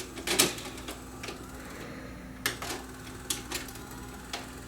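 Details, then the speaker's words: Panasonic PV4361 VCR that shuts itself off a few seconds after play starts and eats tapes: power pressed again, faint motor hum under light clicks and whirs as the tape unloads, then the deck shuts off and goes quiet. "Hit the power button again, you'll probably hear the tape unload. Yep."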